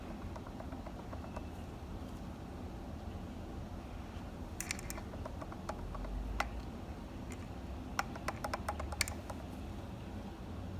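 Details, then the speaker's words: Boosted electric skateboard: sharp, irregular clicks over a low rumble from the right drive motor, whose shaft has lateral play (left motor tight). New belts were already fitted; suspected bent shaft or failed shaft bearings, and a replacement motor was sent. "this is left side nice and tight no play this is right side the motor has a little bit of play and you can hear the"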